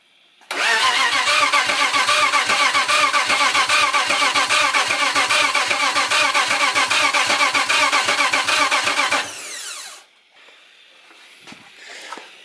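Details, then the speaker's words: BMW E90 with a turbo M52 swap and a tuned ECU, first fire attempt: steady starter cranking at about 2.5 turns per second for nine seconds, never catching; crank, no start, with no spark. "air fuel spark you only need three things to fire an engine you got a crank nose start which means it's cranking"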